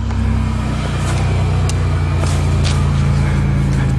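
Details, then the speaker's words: 1998 Chevrolet Lumina LTZ, 3.8 Buick Series II, cold start after sitting about 18 months, fresh battery, first try, no gas: deep even burble, steady low hum, no knocks or misses; running perfectly. "oh my god first try i didn't touch the gas motor sounds perfect wow"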